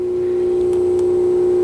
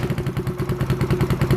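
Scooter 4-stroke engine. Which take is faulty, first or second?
second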